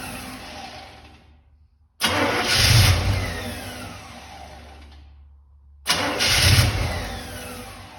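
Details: Big V8 fitted with Holley Sniper EFI, restarted after sealing a front plate vacuum leak (owner plans to redo initial setup), cranks and catches twice, flaring then settling toward idle; starts promptly, no leak hiss: normal start and idle.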